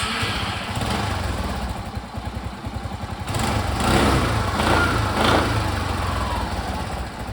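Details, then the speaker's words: Suzuki Access scooter that stalled in rain, started after plugs and plug wires were covered against water: small single-cylinder fires up and holds a quick, even putter with light revs, no misfires or stalling; normal start and idle. "so as you guys can see that my bike is starting properly"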